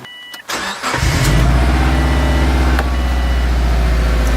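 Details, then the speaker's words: Subaru Forester on jack stands just after replacing the exhaust donut gasket at the downpipe: quick crank, catches cleanly, smooth steady idle with no exhaust puffing or ticking; runs healthy, no leak felt. "Purred like a kitten so far."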